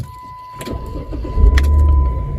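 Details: 2007 Jeep Commander that previously had no click and no start despite dash power, now after battery terminals and ground wires were cleaned: a short crank, then it catches within a second and settles into a steady, even run. It starts normally.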